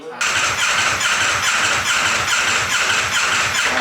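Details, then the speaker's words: Wrecked 2024 Ducati V4 Panigale rebuilt as an off-road bike, first start, full tank. Engine catches but runs uneven and ragged with a lumpy idle; owners suspect limp mode or bad, stale gas, not confirmed. "it's not happy hey is there gas in it yeah it's full [Music] tank almost sounds like it's in a limp mode or something"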